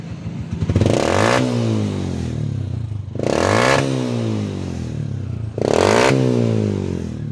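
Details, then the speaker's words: 125 Alpha motorcycle after exhaust was cleaned out, backfire fixed by adjusting carburetor idle screw to about 1,000 rpm: three clean throttle blips rise smoothly and settle to steady idle, no pops or backfires; normal revving. "okay so start with ring isa pa stable tanggal na rin ng back wala kalang palitan wala kang kalang buksan so lang tanggal ang back"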